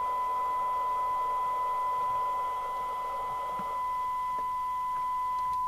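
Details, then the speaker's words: 1981 Uniden-made Audioline 340 UK FM CB radio during recap and alignment on channel 40 with a test set: the test tone comes through harsh and buzzy in AM mode and sounds better in FM; distorted receive audio, cause not confirmed. "Dreadful that is so strangled oh I'm in am that's better now I'm in FM okay so it doesn't sound actually absolutely Dreadful"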